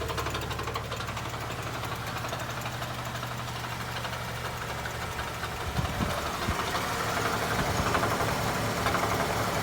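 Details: 2007 Saturn Ion engine idles with a fast, fairly regular knock, about four a second, over the running noise.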